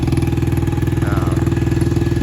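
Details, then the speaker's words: Yamaha TTR-90 after carb cleaning, a new petcock and an added fuel filter: small single-cylinder four-stroke thumps at a quick, even idle with slight unevenness; starts right up and runs normally. "so i replaced the petcock and i put a fuel filter in there so why not and now it runs like a champ starts right up runs great super fun to ride"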